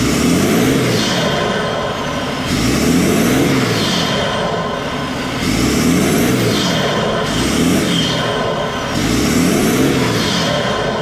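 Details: BMW 525d E39 M57 diesel after turbo geometry lever repair for lost boost: repeated revs, each with rising and falling turbo whistle spooling freely; turbo charging strongly, pipe hot and intercooler cooling, runs clean.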